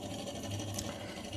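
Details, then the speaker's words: RO water purifier booster pump removed from the unit and run on a bench supply: steady whirring hum with a rough, grating texture; the bearing is noisy and very tight, which is why the pump would not run. The armature works. "और आप देख सकते हैं इसका जो bearing है उससे खर खर की आवाज़ आ रही है, और ये काफ़ी टाइट चल रहा है, और इसी के कारण से ये पंप नहीं चल रहा था।"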